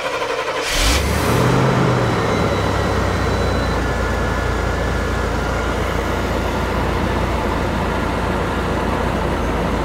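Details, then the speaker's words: 454 V8 in old motorhome chassis for a 1955 Chevy COE build, after reseating a loose injector plug and removing the cat; low steady idle, slightly rough, owner blames bad fuel and needs a new fuel pump sock. "So now she fires up and it seems to be idling okay. It's just slightly rough. I know this thing's got some bad fuel in it."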